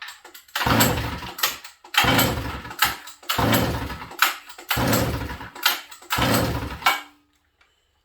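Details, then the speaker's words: Sachs Dolmar 153 100cc chainsaw, low-speed carb screw at about one and a quarter turns and given a little more fuel: five rough pull-start bursts about a second apart, sputtering but never catching. Carburetor issue suspected, possibly needs more timing; hard starting. "we may have a carb issue friends i'm not sure about this carburetor right now"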